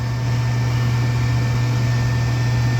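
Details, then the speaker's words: A Rheem furnace runs with a newly installed OEM replacement inducer motor, which replaced a very noisy one. It draws about 1.3 A with -1.0 draft and gives a steady, smooth low hum with no rattles, grinding or squeal: normal operation. "Amps are good, and it sounds way better than this one here."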